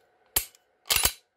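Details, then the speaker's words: Modified Glock pistol with aftermarket trigger, after adjustments fixing failure to reset (slide lug pushing connector over). Sharp snap then crisp double click on pulling the trigger and racking the slide: trigger now resets every time, normal reset. "pull the trigger rack the slide live trigger okay every time it doesn't matter if we trap"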